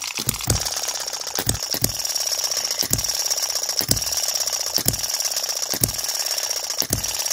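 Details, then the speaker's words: Miniature model engine ticking rapidly with a sharper knock about once a second from the connecting rod small end, not too loud but audible, after the spring was tightened slightly to speed it up. "and the little end of the Conrad it's not too loud right now I can definitely still hear it Knocking"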